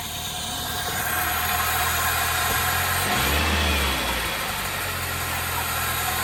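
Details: 2003 Toyota Celica GT with a 1ZZ engine, just started after sitting and priming the fuel pump: it settles into a steady, even idle with a brief rev and no knocking. Some smoke is blamed on rodent debris.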